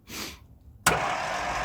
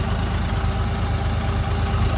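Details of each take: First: 1958 Mack B-21 fire truck, 1091 ci Hall-Scott gasoline straight six, sitting 30 years: a click, then a free high whir with no cranking beat; the starter spins but doesn't engage the flywheel. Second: 1958 Mack B-21 fire truck, 1091ci Hall-Scott engine, just started after 30 years sitting: even, steady low idle with regular beat, no knocks or misses; running smooth.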